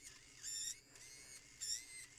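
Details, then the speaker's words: DSPIAE electric reciprocating sander Pro, about six months old, failing in use; two sharp high squeals about a third of a second each over a thin motor whine before it locks up and stops reciprocating, an abnormal squeal. "Oh, now it's totally locked up. It's not reciprocating. It's just throwing a death howl."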